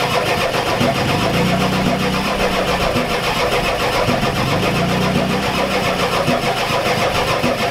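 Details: Ford F-250 XLT 7.3L IDI diesel, glow plugs connected, new injectors, ether tried: starter churns at steady three-odd beats per second, never catches; crank no-start, no fuel through injectors, owner suspects weak injection pump.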